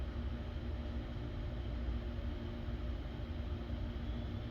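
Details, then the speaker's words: 2006 VW Passat that stalled, fuel pump run during start with voltage and duty cycle monitored: steady low hum with faint constant whir, voltage unchanged; pump runs but pressure delivery unproven. "Right, so you can hear the fuel pump going, but our voltage is exactly the same."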